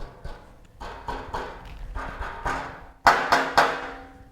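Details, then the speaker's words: Honda VTX1800 with Vance & Hines Big Shots exhaust, a few hundred miles in: sharp metallic taps on the heat shield, each followed by a ringing, buzzing rattle, because straps holding the shield are missing; rattle shows at certain RPM ranges. "it is missing some of the straps that hold the exhaust shield onto the exhaust and it is causing a pretty annoying rattle noise."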